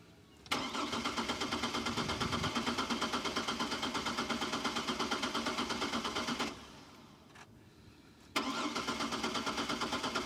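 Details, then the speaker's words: Chevrolet Trailblazer sat five years: steady starter cranking about three turns a second, never catches; has spark, fires briefly on fuel poured in intake then dies, so suspected no fuel delivery; crank no start. "all right it's getting spark when we dump fuel down the intake it uh the engine fires up but it dies right off that means it's not getting fuel"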